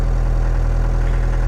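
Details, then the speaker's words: Mercedes W115 /8 220D diesel idling after a hard start, parked uphill; the owner suspects the fuel pump lacked tank pressure or the pre-glow system is weak. Steady, even diesel clatter and a smooth low rumble with no misses: a healthy idle. "As you can hear, the engine is idling perfectly well."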